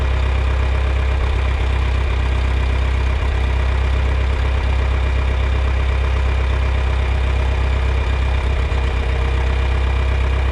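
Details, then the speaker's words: Old John Deere 3010 propane tractor that sat a while, just started with choke and a little throttle, warming up: steady, even low idle with a smooth regular beat, no knocks or misses; oil pressure up, generator charging. "So, it's fired up. Got oil pressure. Generator is charging now."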